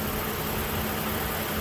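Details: 2007 Toyota Avalon V6 3.5L (2GE-FE) after a broken coil boot stuck on a spark plug was removed: a smooth, even idle with a steady low hum and no vacuum leaks, knocks, skipping or misses, and no check engine light.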